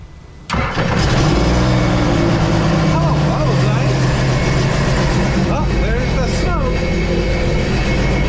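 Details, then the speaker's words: 2016 Sea-Doo RXT 260 with a freshly rebuilt engine after zero compression in one cylinder: it catches on the first crank and settles into a steady, even idle. A first puff of assembly-oil smoke is expected, with no knocks or misses. Normal start. "that's the smoke from brand new engine brand new engine of course when you put a engine together you have oil so that was a first puff shouldn't have anymore now good"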